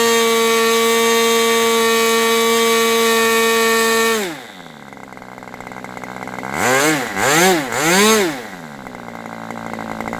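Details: Aviastar 46 ABC glow engine, test run with one of two carbs on a chilly, breezy 61°F fall day: a high scream drops to a low idle that wanders and surges. Owner suspects it is slightly rich and plans to lean it for a steadier idle. Top end is good.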